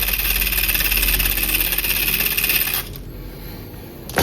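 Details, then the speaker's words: 1:10 SCX10-clone Rubicon RC crawler kit (313 mm wheelbase): wobbling spur gear against pinion alternates loose and tight mesh, giving an uneven whirring gear rattle over the motor; gearbox needs readjusting. "Ada yang bagian longgar, ada yang bagian pas gitu. Jadi dia bunyinya kayak gini."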